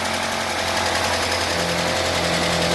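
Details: UAZ Patriot engine just reassembled after valve cover cleaning, first cold start with oil pressure gauge fitted: fast light ticking over steady cold idle, hydraulic lifters clattering until they fill with oil.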